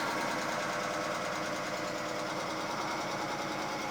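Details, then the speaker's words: Mercedes W210 E320, inline-six M104, first start in about nine years after fuel priming, intake loosely refitted, no coolant yet: runs with a steady but slightly uneven chuffing pulse over a busy ticky top end; rough running, cause unclear. "Not bad. She runs after 9 years."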